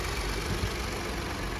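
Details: Salvage-auction vehicle just jump-started, idling before warm-up: steady, even idle with a smooth low hum and no ticks or knocks. The check engine light is off and only the airbag light shows; the engine sounds healthy.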